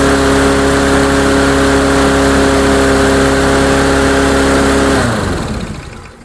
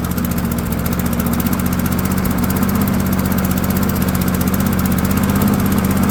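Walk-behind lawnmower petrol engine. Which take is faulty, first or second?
first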